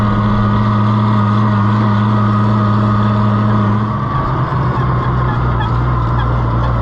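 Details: Oliver 1650 tractor that intermittently won't run at its owner's place: steady loud engine drone with even low hum, no knocks or misses; runs smoothly here, cause still unknown.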